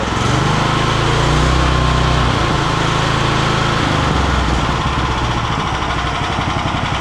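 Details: Homebuilt machine's engine running after the pulleys for the poly-V belt were aligned: steady, even engine note with no knocks, slips or belt squeal; the motor runs smoothly and sounds healthy.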